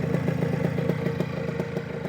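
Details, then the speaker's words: New OpenPPG SP140 V2.0 paramotor two-stroke on a 5-minute break-in idle run per the manual, 40:1 Motul with ethanol-free gas: even popping beat at about six to seven pulses a second with a steady low drone; a clean, healthy idle. "Let It Go for about 5 minutes right now just going to do that at [Music] idle and then I'm just going to let it set for a"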